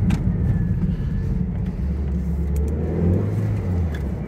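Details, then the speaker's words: Low-mileage Toyota MR2 stood since the start of Covid, first drive; low full engine note pulling steadily through the revs with road and wind noise, no knocks or misses, picks up nicely; healthy under acceleration. "I'm not feeling anything in the suspension that's bad it's got some pep actually it's picking up really nicely really nicely considering like say it's old"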